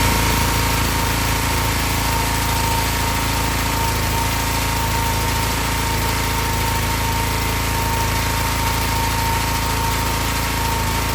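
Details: Excel XR2500 pressure washer with a 5 hp Honda engine, which used to stall after 15 seconds from a bad spark plug: the engine holds a steady, even drone without surging or cutting out, running healthy.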